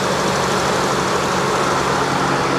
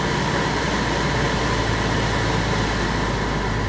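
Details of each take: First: Salvage-auction car with a suspected bad battery, charging at 14.3 V, idling steadily and evenly with no knocks or misses over a hissy background; runs smoothly, normal idle. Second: Copart auction car just jump-started with a booster pack: even, steady hum with an airy rush on top, no misses or knocks; engine quieted down and idle settled after a rough start, check engine light on, alternator not charging.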